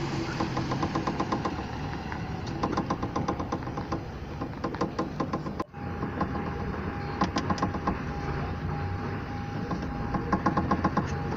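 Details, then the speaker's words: Car with frameless door glass; light, quick ticks about four a second over a faint idle as the glass rattles in worn plastic guide bushings of the window regulator. Door glass knock, temporarily fixed with a clamp. "и вот сам стук вот здесь появляется износа как бы пластмассовых уплотнителей которой она сама спине плавай получили вот такой вот примерно я опущу"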